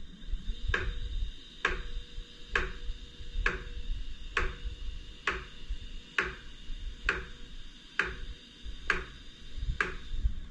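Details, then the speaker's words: iOptron GEM28 telescope mount slewing at speed 9 on one axis only; noise is minimal at slow speed. Sharp, even clunks about once a second over a motor drone. Owner suspects it causes backlash behind a PHD2 RA calibration failure: clunking while slewing. "if the speed is slow the noise is minimal but if i if i set the speed to like nine notice the noise that it makes"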